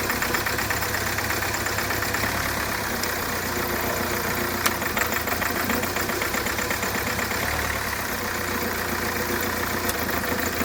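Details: Hyundai Creta diesel after engine rework and timing reset (previously knocking, white smoke, starting problems after an earlier engine job): steady idle with even, fine clatter, no uneven knock or misfire.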